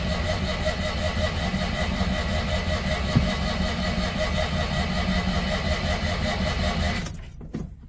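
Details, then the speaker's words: Citroen 2CV 602 cc flat-twin, cold start after about eight months unused, choke on, pedal pumped: steady starter churning about 2.5 beats per second for seven seconds without starting; owner thinks fuel system is dry. "just thinking quite a bit of fuel no fuel let it soak up come on go on you caught then go on oh bugger"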